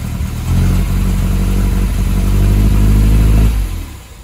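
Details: 1978 MGB after carburetor rebuild: deep, steady low rumble for about three seconds with even firing and no stumbles, then winds down; carburetted engine runs cleanly.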